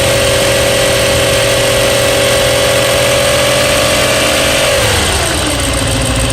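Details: BMW E92 M3 S65 V8, 65,600 miles, oil changed 1 month/300 miles ago, idling: smooth idle with light fast tick under steady drone, dipping as revs fall; ticking began cold, quieter warm but persists, cause unknown.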